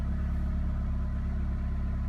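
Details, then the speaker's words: Peugeot 206 idling after topping up power steering oil that was below minimum: steady, even idle with a low smooth hum and no whine; the earlier pump sound is gone, the pump runs quiet and steering feels the same. "but you dont hear the pump so that is ok"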